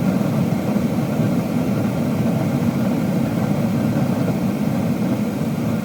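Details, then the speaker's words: Furnace after inducer motor replacement (new motor and fan, old cage), old one had failed bearing causing screeching and burners cutting out after 5-10 seconds: steady air rush and burner roar, no squeal, normal startup. "the thing is screeching and uh it's not letting the burners fire up or they fire up for a second and turn off that's going to be your inducer motor"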